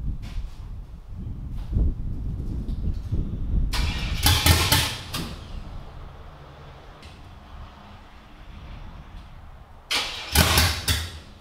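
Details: Cammed LS V8 in a G-body, after troubleshooting an injector stuck open: catches and settles into lumpy cam idle with two sharp rev blips; no popping, flames, white smoke or heavy gas smell, cleanest it has run; normal cammed idle.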